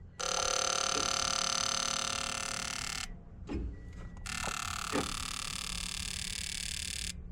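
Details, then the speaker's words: Fuel injector on a 2012 Scion xB 2AZ engine driven by a pulse tester during misfire diagnosis: sharp, fairly even clicks about three a second between bursts of tester buzz; injector opens and closes, not stuck, though not fully certain it works. "okay so apparently it's working I mean I'm not 100% sure but at least I know that it's not stuck"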